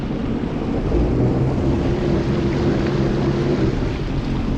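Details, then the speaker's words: Sea-Doo jet ski restarted after nearly sinking, running on the water: rough, uneven engine drone; it idles and pushes 4-5 mph but any throttle feels like limp mode. Jet was clear; owner suspects broken carbon seals. "she's like I mean it'll idle and push me at four or five miles an hour but any throttle and it's like in limp mode"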